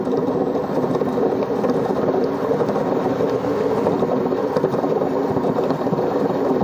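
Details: Single-tub washing machine drum turning: steady, coarse rumbling drone with no letup, the low growl of worn drum bearings before bearing replacement.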